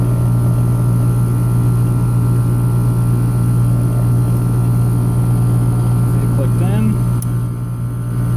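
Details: HVAC air handler with heat strips engaged by raising the thermostat, around 60 degrees outside; steady, even low blower hum without rattles or surging; normal operation with heat strips on.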